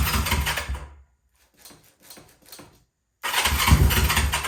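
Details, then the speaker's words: Honda CL350 Scrambler, about 50 years old, parked for years and not run; first run using the old gas tank plumbed in without fuel filters. It fires with a throaty pulse, dies briefly, then catches and picks up strongly with more throttle. Normal starting. "Hey, we got something. Give it a little more gas. Finally had some success with this thing."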